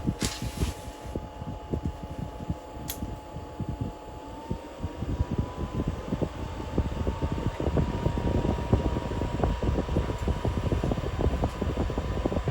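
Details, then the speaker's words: Diesel air heater entering cool-down after shutdown: steady fan roar whose tone climbs slightly and settles higher as the blower speeds up to cool the unit. Normal fan speed increase. "In the cool down mode, but the fan picked up, started blowing a little faster."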